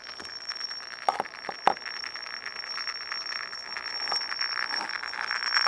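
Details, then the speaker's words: Google Cr-48 laptop speakers playing Pandora: thin steady high whistle over hissy crackle with sharp pops, an audio glitch of unknown cause that cleared after a restart. "i went to play pandora on my cr-48 and i started making this god-awful noise i'm not sure what it's all about"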